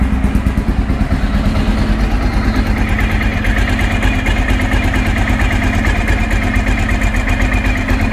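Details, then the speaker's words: 2012 Honda XR650L, FMF Q4 exhaust, after valve clearance adjustment for valve ticking (valves previously too loose): steady, even single-cylinder idle thump with no top-end tapping, sounds a little better; normal idle. "I'm not gonna be writing for a while sounds a little better"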